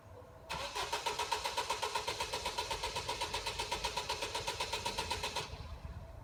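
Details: Car that won't start after work: the starter spins the engine at a steady four beats per second for about five seconds, but it never catches; cranks, no start.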